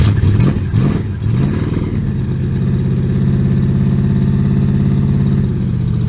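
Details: Buick Regal with carburetor, no-start, after letting the fuel pump prime then pumping throttle while cranking: several cranking bursts, then catches and settles into a steady, even idle with no knocks or misses.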